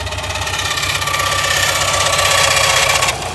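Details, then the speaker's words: Subaru WRX STI at idle; a quick, even tapping knock first thought to be rod knock, traced to the timing tensioner, since the noise stops when tension is applied. Engine knocking at idle. "so yeah guys just that quick video me diagnosing that knocking noise definitely thought it was a rod knock"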